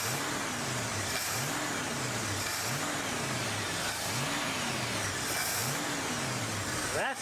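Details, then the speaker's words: 1970 Ford Mustang Mach 1 after timing fix and moving the original carburetor's boosters and jets into the replacement carb: repeated throttle blips about once a second, each rising cleanly and dropping back smoothly, no stumble; normal revving. "got the timing fix got the Cur to fix ended up putting the boosters from the old carburetor and the Jets from the old carburetor in the new carburetor and that made all the difference"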